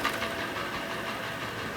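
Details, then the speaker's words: Hyundai i40 G4NA petrol at 60,000 km in winter sub-zero temperatures, recently refilled with Shell oil: hollow uneven knocking; piston slap from scuffed pistons. "стук Бряк Бряк стук стук Бряк ой пробег у нас вообще детский вообще смешной 60.000 км ребят"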